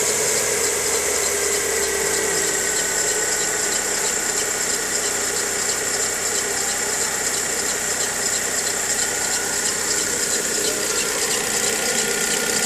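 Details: 2013/14 VW Gol G6 engine, mostly on cold morning starts: thin steady high-pitched squeal over an even idle; dealer first blamed alternator belt, actual fault was the timing belt, replaced under warranty.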